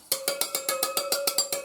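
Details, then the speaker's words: Spinning the front wheel of a new 2023 Honda 150 dirt bike with a punch against the spokes: ten evenly spaced pings, about six per second, all at the same clear pitch, so spoke tension is even. "Just spin the wheel and listen for the sound. See how they all sound pretty much the same?"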